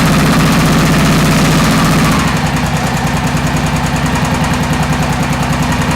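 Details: 2001 Honda XR650L: loud thumping single with a crisp top-end tick on each beat, about three to four per second; owner suspects a valve seat, not yet confirmed before teardown.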